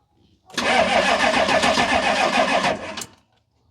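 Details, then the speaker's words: Diesel cranked with an Autogen 4500A jump starter on boost, no batteries connected, showing two bars of charge. It cranks evenly about three and a half turns a second for nearly three seconds without firing; the engine is very hard to start, and glow plugs are thought to draw more than cranking. "I have no one I don't see this one starting either she's just really really really hard to start"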